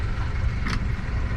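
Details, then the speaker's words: New 2023 Suzuki 200 four-cylinder outboard replacing a V6 on a Grady-White, at idle: soft, steady low rumble with no knocks or misses and a brief splash, barely audible; normal quiet idle. "first thing I noticed is a little bit quieter engine um which can be expected four-cylinder versus V6 also you know uh about seven years newer so I suspect they made some updates but at idle you can barely hear it"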